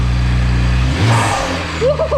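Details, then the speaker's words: BMW 1M E82 turbo engine after replacing blown original charge pipe, revved in leak test: quick blip rises and falls cleanly, no hiss or whoosh of escaping air; no boost leaks, everything working. "kill it well great success everything is working no leaks nothing"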